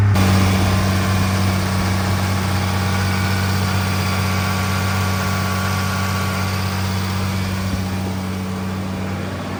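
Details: 2nd Gen Cummins diesel at first startup and break-in right after engine rebuild: steady, even diesel clatter at a smooth fast idle, no misses or knocks; runs healthy.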